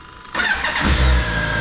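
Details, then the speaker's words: 2007 BMW K1200GT with 50,000 miles, sat two years, after fuel pump and cracked hose replacement (no fuel filter, bad ethanol): short crank, fires first try and settles into a smooth, steady idle. "I'm not gonna lie, I already fired it up. But fire it up first crank."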